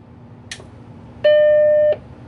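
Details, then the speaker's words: Macintosh 512K with internal MFM hard drive, first power-on after reconnecting CRT: short click, clean steady startup chime over faint drive hum as hard drive spins up; normal start. "hard drive is spinning up wow that's crazy"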